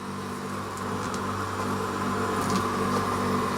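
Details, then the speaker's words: Chest freezer after regassing (had lost its charge, about 10 psi residual), on test: steady compressor drone under a soft, even hiss and faint gurgle of refrigerant boiling in the evaporator, frost forming; normal flow. "listen carefully here they refrigerant boiling in there now"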